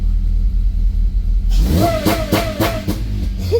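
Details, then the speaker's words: 2006 Honda Civic Si K20 with Mercracing TVS-1900 supercharger, new 5-inch filter with 4-inch velocity stack, a sensor unplugged, revved to about 3000 rpm: deep idle, then whooshing intake roar and rising whine; louder, normal supercharger intake. "I have a sensor 3 grand, yeah. So, oh fuck! It sounds hella louder now."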